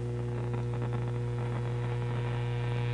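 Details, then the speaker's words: Steady low buzzy mains hum from a Monarch shortwave radio, unchanged as volume is raised; a classic power-supply hum from failing filter capacitors. "this is a monarch radio it's got a couple of short wave bands of course al and it's got a classic filter hum turn this thing on it's not super bad but it's still very annoying"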